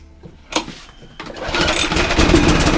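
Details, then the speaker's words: Lawn mower that ran very slowly and would not stop, after greasing the stuck mechanism: pull start catches, then the engine climbs to a steady buzzing run and holds revs evenly; revs now rise automatically. "And now that mark is now working. Literally just a bit of grease. So the revs will go up now automatically."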